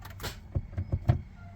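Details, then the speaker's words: Acura with a mildly built J-series engine just installed, mocked up loose without the subframe: four dull, uneven clunks and no cranking as the starter fails to engage; a bad ground is suspected. "oh bad ground that'll do it the starter seems to have an issue engaging"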